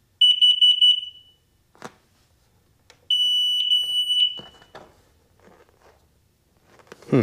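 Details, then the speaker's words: 2004 Sea-Doo XP DI watercraft, electrical no-start fault, after wiring in a new tether: bursts of three high beeps, no start; no change, so tether ruled out; low voltage (8 V) at computer suspected, unconfirmed. "No change. Performs exactly the same."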